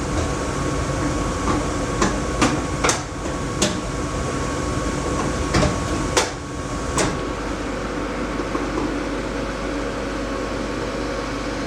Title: Laars Mini Therm II making rattling sound